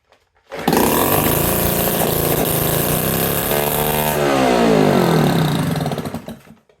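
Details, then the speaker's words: Scrap-yard Honda EX350 generator run with the exhaust muffler removed: fires up with a loud, harsh, raw bark and open rasp, sparks coming out of it, run only briefly; it still generates power. "works. I don't want to run long because there's sparks coming out of it. Still generates power, man."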